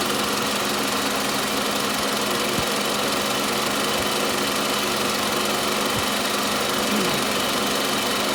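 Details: Toyota Camry 40 with 2.4 engine: a steady, loud, ringing tick runs through a noisy idle and never stops ("always knocks"), heard near the alternator; engine knock, source not pinned down.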